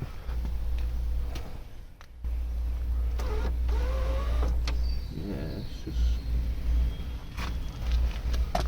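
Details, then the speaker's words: BMW E36 door power window: motor hums with uneven knocks and clicks as the glass travels; regulator pin keeps popping out because its clip is missing or broken, needs a new clip. "oh that didn't sound good yeah no clips [ __ ] unfortunately just keeps popping out hates me"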